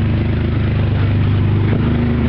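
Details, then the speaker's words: 1994 Ford Ranger XLT Supercab 4.0L V6, 147,746 miles, at idle: loud, rough, coarse low chuffing from underneath; owner suspects an exhaust manifold gasket leak, not confirmed. "got an in there an exhaust leak or something underneath man it's really loud as you can hear I think it's a exhaust manifold gasket or something I'm not sure"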